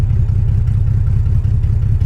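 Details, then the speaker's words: Salvage BMW 325xi E46, all-wheel drive, with open headers and no cats, idling at a stoplight: a loud, deep, lumpy idle pulsing unevenly as if about to stall, with a raw, unmuffled bark, yet it keeps running; rough idle, cause unconfirmed. "First stoplight, is it gonna die? Sounds like it's gonna die. It didn't die."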